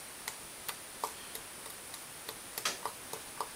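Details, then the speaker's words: 2016 Honda Foreman 500 Rubicon ATV during top-end rebuild, cylinder off: light sharp metal clicks about three a second as the bare crankshaft is rocked up and down; worn rod bearing with up-and-down play, lets the piston wobble. "actually can hear it so that's not good and if you feel down it doesn't matter side to side"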